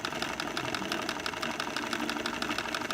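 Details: Two-cylinder alcohol-fired Stirling engine, cleaned and watch-oiled after heavy resistance, driving a generator from its flywheel: quick, light, even ticking about seven per second holding steady pace under load; normal running.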